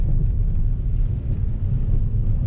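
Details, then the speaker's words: 2014 Chevrolet Impala cruising on the road: low steady howl from the rear, like a lawnmower engine, under road rumble; rear wheel bearing recently replaced with a cheap one, suspected again, not confirmed. "and it sounds like they got a motor in the back of the car I'm thinking it's this backside here so we can hear there's a little bit of a howl on there and sounds like that I got a lawnmower engine in the back of the car"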